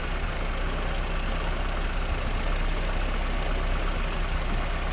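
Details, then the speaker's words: 1962 Morris Minor with a suspected ignition fault, Aquaspark electronic ignition; after the distributor cap was cleaned it idles steadily with a smooth low rumble and no stumbles or misfire. The rotor is slightly burnt on one corner. "okay I've moved everything wrong and cleaned the distributor cap and everything seems fine at the minute"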